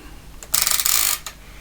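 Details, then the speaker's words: ASR33 Teletype printer during restoration; short loose rattly clatter as the print head is raised and lowered on its one-side support post; badly worn print head lift bush with heavy play, replacement bush may be needed. "so if we're trying moving this you can see if you can see it not there's a lot of play in the bush here and this is responsible for raising uh the head to various positions and it does make a bit of noise uh when it's um raised and lowered"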